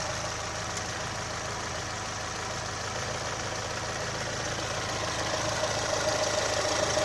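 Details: 2018 Chevrolet Onix LT 1.0, bought under 3 months ago, idling with light even tapping about three per second over the hum; abnormal engine noise, owner links it to GM's quiet replacement of intake valves and locks, unconfirmed.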